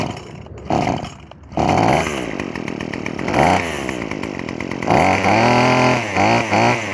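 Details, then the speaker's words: Craftsman WS2400 pole saw two-stroke after draining old gas, fresh fuel, new fuel lines and slight carburetor adjustment: clean crisp revving, blips pick up and drop back promptly; runs smoothly. "all right well from what I can tell and hear the pole saw seemed to run much more smoother now than before so it seems like dumping the old gas and poor Fish fill to the gas tank and some slight carburetor adjustment did the trick"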